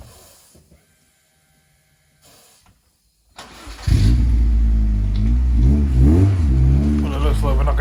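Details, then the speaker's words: MG ZS 1.6 with a new battery starts first time: quiet, then the engine catches promptly and settles into a steady, even idle; a clean, healthy start. "she seems to start first time every time which is a bonus that's the new batteries"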